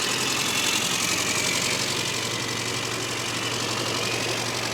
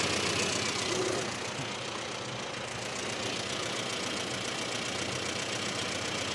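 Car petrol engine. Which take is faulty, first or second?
second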